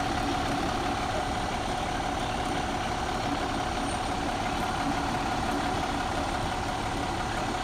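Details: 2014 MCI J4500 coach, engine listed as Cummins or Volvo, fresh engine, Allison B500 or ZF transmission, heard with the rear engine hatch open: deep, steady diesel idle with an even beat, no knocks, misses or whine; normal diesel idle.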